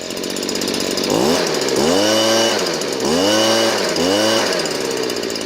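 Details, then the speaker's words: Stihl BG56C leaf blower, 27cc 0.9hp two-stroke, warmed up, after a half-turn low-speed screw adjustment from boggy to correct: revs up cleanly in quick blips and drops back to a steady, even idle; carb set right. "See the difference? It's only a half a turn from running crappy and running perfect."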